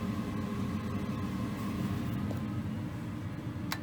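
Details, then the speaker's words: Goodman gas furnace with intermittent no-heat, during gas valve troubleshooting/replacement, fired from the thermostat: steady low burner roar with an even blower rush, no rumble, bangs or squeal; normal burner and blower operation. "make sure we hear the flame and the blower there goes the flame"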